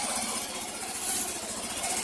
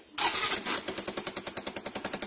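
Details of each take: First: Yamaha Mio i125 scooter after exhaust work to cure backfiring, original exhaust gasket reused: short stretch of steady, even single-cylinder idle, no popping or grinding; normal idle. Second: Low-mileage Yamaha Mio i125 scooter that backfires, front cover opened: quick even puffing ticks in time with each firing at idle, a sharp leaky chuff at the exhaust header joint; exhaust leak at header.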